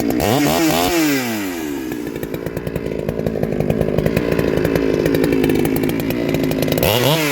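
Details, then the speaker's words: Bradley G395xp clone chainsaw, 56mm with 20-inch bar and .404 full-chisel chain, cutting log; revs up crisply, holds strong even pitch in the cut, drops cleanly to idle; normal healthy running under load. "That goes quite well. I'm happy with that. As you see, a 56mm. It goes well with 20-inch, no problem at all."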